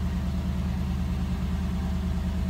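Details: 1989 Cadillac DeVille 4.5L idling just after ECM replacement. The old F32 code is now E52, and there was a slightly rough start while the new computer relearns. Steady, even low rumble with no knocks, stumbles or hunting: a normal, healthy idle.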